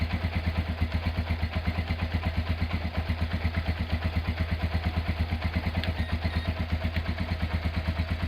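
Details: Restored Honda GL100 engine, possibly about 2000–2002, with new Aspira piston, CDI ignition and inlet valve clearance 0.10: steady single-cylinder putter, about three firing beats a second, even, no ticking or knocking; healthy idle.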